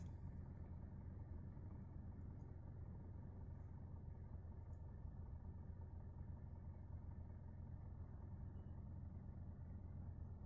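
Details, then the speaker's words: 2022 Maruti Suzuki Dzire CNG idling on CNG, recorded inside the closed cabin: only a faint, steady, smooth low hum, with the cabin described as completely silent; a healthy idle. "हां भाई बिल्कुल silent है Kevin कोई भी आवाज यहां पर नहीं"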